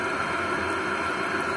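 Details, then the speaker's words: Lavaner 12V 5kW diesel water heater running during first test: steady combustion-air roar with faint fan whine, no pulsing or sputter; similar to a diesel air heater, possibly slightly louder; running normally. "some slight noise from the fan itself inside the heater but nothing nothing crazy very similar to a diesel heater possibly slightly louder"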